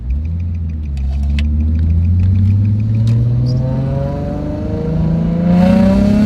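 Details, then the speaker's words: Stock Nissan 350Z after drifting: engine revs climb under throttle but car doesn't go faster, no power to the wheels; slipping clutch. "you hear how the car is just revving up but it's not going any faster so yeah that's a slipping clutch it almost sounds like the car is breaking traction but instead it's just spinning the clutch"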